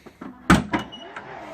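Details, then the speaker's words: Tesla Model 3 Hansshow power trunk with close position set lower: brief motor whir then a sharp pop as the lid pulls down hard; latch appears forced, closing too tightly. "hear that pop it feels like it's forced a little bit more"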